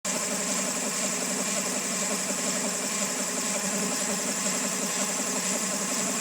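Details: 2000 Honda Civic EX with rebuilt D16Y8 engine, mechanical timing appears dead on; noisy, rough idle with hissy, clattery top end and lumpy beat, owner suspects cam pulley, timing tensioner or a bearing not rotating smoothly, source unconfirmed.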